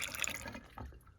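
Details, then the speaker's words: HVAC condensate drain line after clearing a stubborn clog with Drano/Liquid Plumber: a cup of water poured in gurgles and trickles away quickly with no backing up, so the drain line is now clear and free-flowing. "All right, so I've got 1 cup of water down here with no buildup at all. So it looks like this thing's draining."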